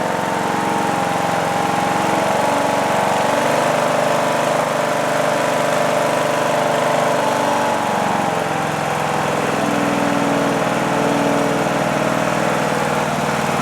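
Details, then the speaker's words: John Deere D110 lawn tractor after engine swap, warm after about 10 minutes running: steady even single-cylinder drone with no misses or knocks, faint valve tick (valves may need adjusting); brief smoke only at startup; normal idle. "Gave us a little puff of smoke at startup, but it's not smoking now. I'm really pleased. The engine sounds good."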